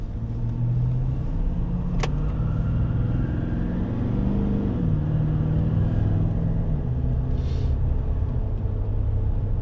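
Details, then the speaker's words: Nissan Titan with Cummins diesel on a test drive after repair (connectors weather-tight sealed with heat shrink), having failed three dealership repairs: steady, even diesel drone rising and falling smoothly with speed, no stumble or miss; runs great, normal running. "runs great, man."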